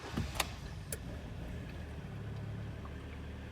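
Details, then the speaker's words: Kia Sportage G4KD 2.0, 101,000 km, first start after repair of severe piston knock that began at winter start: low steady idle hum, no knocking, a couple faint clicks at start, no error codes; normal idle before warming to 90 °C. "Так ну что работает ровно никаких ошибок ничего нет сейчас будем прогревать до рабочей температуры 90 градусов"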